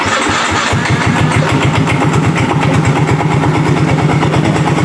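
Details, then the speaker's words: Yamaha Mio J automatic scooter: after the start, a rapid, coarse rattling knock sits on the idle like a worn rod. It fades as the throttle is slowly opened and returns on another throttle blip. Starter one-way clutch failure. "Suaranya seperti itu ya, jadi bisa didengar buat teman-teman. Jadi karena ketika kita tarik gasnya, kalau kita tarik gasnya perlahan, idle-nya, dia suaranya semakin lama semakin hilang ya."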